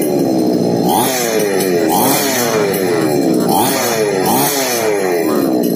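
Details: Small Remotek mini chainsaw lacking power: revs surge and sag roughly once a second, never holding steady; surging from a carburetor needing adjustment.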